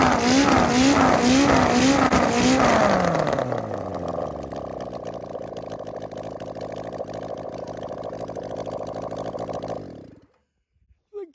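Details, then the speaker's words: 1974 Kawasaki Z1B 900 engine run out of frame, first start in over 40 years, no headers, open ports, no air filters: loud raspy blips then crisp even idle; sounds healthy, possibly a shade lean. "hey no headers just gotta find a bike to put it in now i think it's a shade lean but it's not open pipes with no air filters okay so it's um mate it just sounds absolutely gorgeous"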